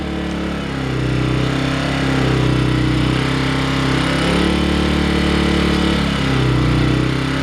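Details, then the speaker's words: Earthquake IG800W inverter generator after fixing vacuum leaks, cold start, one pull without choke, eco off: steady even hum, no rod knock or rattle. "this is the one i fixed the vacuum leaks on one pull no choke one pull no choke no rod knock"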